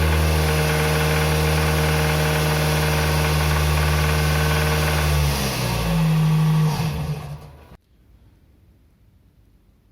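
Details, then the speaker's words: Toyota RAV4 2.0 1AZ-FE, about 228,000 km, held at 2,200 rpm: a steady, fast knock about four times a second over the hum, not heard at idle. Timing chain and camshaft were already replaced; a rod bearing is suspected, not confirmed. "такие звуки издает двигатель на оборотах 2.200 сейчас вскроем и посмотрим но мое предположение что это вкладыш Застучал"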